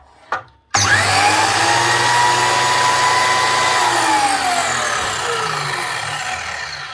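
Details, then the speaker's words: DeWalt DWS727 type 1 miter saw after motor bearing replacement (previously sounded very rough): quick spin-up to a clean even whine, smooth coast-down, no rumble; bearings sound good. "Sounds much better."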